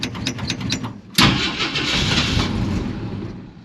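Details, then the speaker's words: 1946 Studebaker M5 pickup with AMC 258 straight six, good battery, cold spring start at 70°F: several slow cranking bursts, then catches into rough idle; cold-blooded carburetor makes hard starting. "Been having trouble with this carburetor, like I said, it tends to be cold-blooded. So let's see, it might take a little bit here. Oh, there we go. Cold-blooded. Come on, man."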